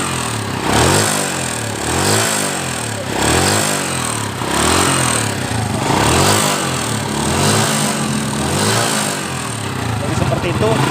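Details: Honda Astrea motorcycle that idles smoothly: repeated throttle blips bring a coarse, rough roar with white smoke, and the front of the engine feels like something is coming loose.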